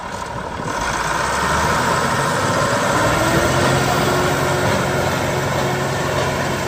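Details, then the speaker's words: 1977 International TD15C dozer, DT466 140 HP diesel rebuilt about 1700 hours ago, recently serviced; after starting settles into steady even low idle with no knocks or misses, healthy. "He'll fire it up. He'll give you a nice demo. Starts up nice and strong there, guys."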